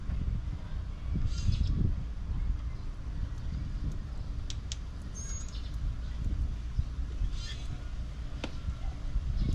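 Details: V8 Monte Carlo idling steadily with a low rumble after valve lash adjustment; the earlier valvetrain tapping is gone, no ticking now, birds chirping outside. Car had arrived idling around 1300 rpm.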